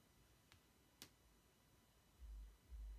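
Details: Late 2016 MacBook Pro 15-inch, unaltered audio: two sharp isolated pops from the display lid in a quiet room. Replacing the antenna/vent module did not fix it; replacing the display assembly seemed to stop it.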